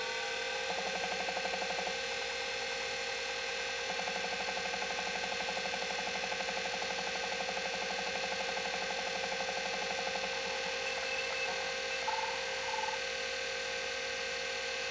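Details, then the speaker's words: Atari Megafile 30 hard disk, unknown-condition unit powered on: high, steady jet-like whine with soft even ticking about twice a second plus fan noise, drive spinning up and running normally. "kind of cool sound. Sounds like a a jet engine."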